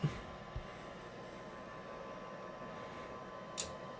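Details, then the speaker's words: Rheem indoor water heater after replacing the blower pressure switch (new one triggers at much lower pressure; lint clogging suspected): steady, even low draft-blower hum with soft pressure-switch clicks, no fault, burner lights; normal blower run. "i did hear the pressure switch so it should trigger here yeah and it hasn't faulted yet so it must be working"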